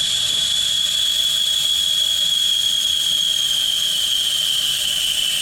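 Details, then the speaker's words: Solo vacuum bleeder bleeding brakes on a 1969 Dodge Charger: loud steady airy hiss with thin high whistle sliding slightly lower as suction builds; no leaks, normal vacuum bleeder operation. "You hear how they're building more suction."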